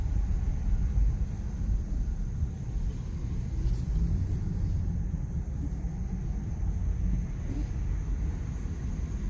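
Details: 2001 Ford F-150, runs, sold as a mechanic's special with a misfire; deep uneven idle rumble with an occasional stumble in the beat: engine misfire, cause not pinned down.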